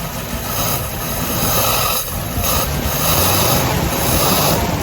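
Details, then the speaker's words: 1940 Buick Special straight-eight, first start in about 40 years after barn storage, cylinders oiled to get compression; steady smooth drone with no knock, misfire or stumble until shut off; normal running. "this one was a lot harder we had to oil the BS to get compression enough compression for it to fire"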